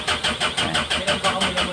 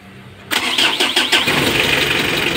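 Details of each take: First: 2015 Mitsubishi L300 diesel that starts hard every morning: steady, rhythmic cranking at about four strokes a second with no catch or firing; the glow plug indicator goes out quickly but the heaters do not work, so the glow plug wiring and module are checked. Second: 2015 Mitsubishi L300 diesel with morning hard starting, after tightening a loose black wire at the glow plug heater module: cranks a few quick turns, catches at once, steady clattering idle; charging 14 V, hard starting fixed.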